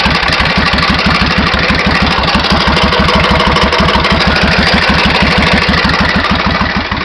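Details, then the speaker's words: 1991 Suzuki VS1400 Intruder V-twin, unknown mileage: loud idle with a sharp metallic hammer-like tapping about three per second over the exhaust beat, louder on the other side and speeding up with revs; cause unknown. "Alors c'est un peu moins flagrant sur ce côté-ci, mais de l'autre côté on entend très bien une espèce de bruit métallique, comme si on tapait au marteau, et au fur et à mesure de la montée en régime, le bruit accélère."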